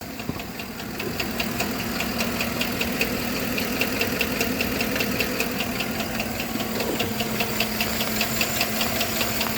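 Sharp regular knocks at about two and a half per second over a steady idle, a clear engine knock of unknown cause.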